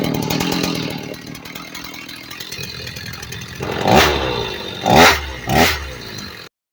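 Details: Stihl 029 chainsaw after rebuild, first start with cleaned carburetor and fuel lines reconnected: two-stroke rasp at steady idle, then three crisp throttle blips rising and falling cleanly; the saw runs fine.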